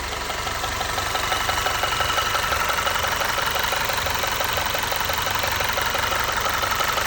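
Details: Audi/VW 2.0T petrol engine at idle, before repair: a steady, light metallic ticking or tapping at about three taps a second.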